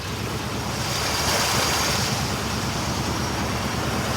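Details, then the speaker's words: Rusty Chevrolet C20 with 350 cu in V8 and 3-speed automatic, stored inside by the previous owner then left outside over a year: first start-up; steady, full, even rumble with no tapping, knocking or misses. Engine sounds healthy, normal running. "I like the way it sounds now"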